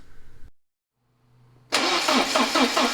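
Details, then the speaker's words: 1988 Porsche 944 start after head gasket replacement, top-end reseal and fuel injector cleaning: short crank, catches instantly, smooth even idle firing on all cylinders with the injector issue resolved; normal start and idle. "with the injector issue resolved the engine is firing on all cylinders nice and smooth"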